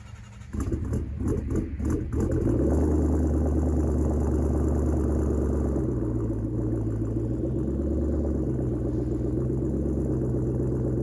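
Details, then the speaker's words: 2017 Mustang GT V8 with MSD two-step PN 87311, ground-activated via clutch switch: engine blipped, revs climb and hold high with only brief dips, no cut-out; launch limiter not holding, faulty MSD module suspected. "And the two-step sounds like it wants to catch the limiter, but it'll rev right past it. So I'm thinking it's a bad, most likely a bad module from MSD."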